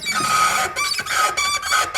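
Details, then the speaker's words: Nissan R33 Skyline drift car: short honking squeaks like a dying goose with each clutch pedal stroke, coming from inside the car at the pedal linkage; cause unconfirmed; clutch pedal squeak. "the one that sounds like a dying goose, yeah, that one's coming from inside the car."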